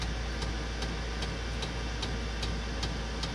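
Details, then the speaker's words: Diesel heater in a mini school bus conversion, pump rate turned down while still gaining temperature: sharp light ticks about two to three per second over a low hum as the fuel pump and fan slow to the reduced rate. "okay so we turn the pump down you can hear it slowing down the fan slowing down"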